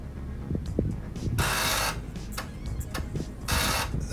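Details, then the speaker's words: Amiga 500 floppy drive loading a game: quick bursts of harsh buzzing chatter with clicks between them; owner wonders whether the drive is always this loud or just his unit, cause unclear. "het is zo hard de drive altijd zo hard of is het gewoon mijn drive"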